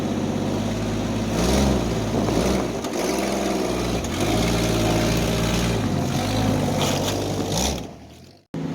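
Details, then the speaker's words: Jeep Wrangler YJ, carbureted, started with a jump pack after sitting for months; once it fires it smooths out into a steady, even idle with a couple of light rev blips and no knocks or misses. Owner mentions a small vacuum leak. Normal idle. "Purring like a kitten. Like a kitten. There she go. Now she's smoothed out nicely."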